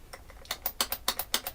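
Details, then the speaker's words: New Arrma Sledge/Traxxas Kraton RC truck at unboxing: sharp dry clicks as the drivetrain is rocked by hand, showing lots of play; a missing ring/O-ring is suspected, and pinion mesh was also a concern. "definitely sounds like there's a ring missing a lot of play can you hear that guys"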